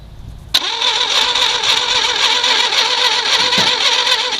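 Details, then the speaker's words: 1968 Fiat, unstarted for about 30 years, pulled from a garage: the starter cranks steadily at roughly four turns a second but it never catches; no spark suspected, with spark plugs, condenser and points to be replaced next. "so after amazingly getting this Fiat to turn over we couldn't quite get it to run so we figured the first thing we would replace would be the spark plugs"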